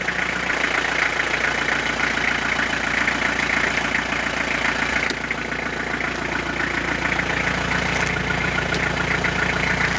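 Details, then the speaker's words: Renault Master van started in damp cold around 3°C after sitting three to four weeks, idling busy and slightly fast with a steady tick and no stumbling; idle a bit high, revs already dropping as it runs. "le masters évidemment le ralenti un peu haut mais là ça fait trois semaines un mois qu'elle n'a pas démarré"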